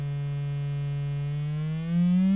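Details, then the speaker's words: Adcom GFA-555 amplifier, left channel fed 1500 Hz then a lower test tone: harsh, almost square-wave distortion with audible crossover clicking; virtually no output bias, running class C instead of class AB. "listen to the clicking you can actually hear the crossover point so I'm suspecting it's got a bias issue where the amplifier is not operating in the class A B mode"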